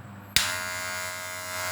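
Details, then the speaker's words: Wahl cordless clipper running with a loud, steady high buzz that eases when the blade is pressed down; the bent blade spring presses too hard on the blade, fixed by bending it slightly. "Ini agak berisik sekali, dengar. Permasalahannya ada di besi ini. Besi ini itu ada tekukannya itu terlalu menekan ke bawah."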